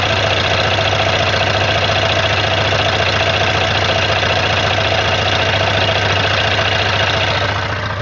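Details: Suzuki Katana 600 at idle: busy mechanical clatter with even ticking about three to four per second; owner unsure whether it is a knock, source unclear.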